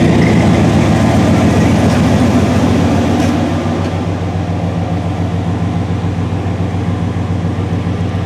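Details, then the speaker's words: 1997 Chevy Tahoe (solid axle swap) first start after nearly three years in storage, fuel pump primed a couple of times, fired right up; deep, even idle settling slightly lower after a few seconds, no knocks or misses. "all I had to do was Prime the fuel pump a couple times hit the key and it fired right up"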